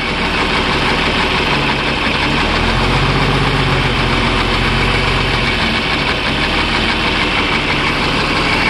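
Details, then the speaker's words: Motor grader diesel engine idling: uneven, lumpy beat with irregular stumble; injector leaking diesel so the cylinder doesn't combust properly; fan belt also shows slight jump from wear; injector leak misfire. "el inyector está botando gasoil y al haber esa pequeña fuga el pistón no logra bajar completamente y no hace la explosión bien ni la combustión Ese es el sonido"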